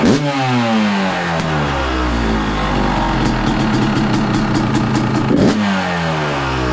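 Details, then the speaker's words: 2023 Yamaha YZ250 two-stroke with a newly installed Boyesen Rad Valve and untouched jetting starts first kick, giving a crisp bark that rises and falls cleanly through several blips, then settles; normal running. "Not bad. The YZ starts first kick."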